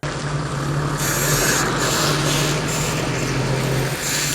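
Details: Land Cruiser 100 after rear diff lock actuator refit, driving forward on loose gravel with diff unlocked: steady drive noise and stone crunch, no skipping or clunking from the rear axle; runs quietly, whereas locked it skips despite flashing dash LED.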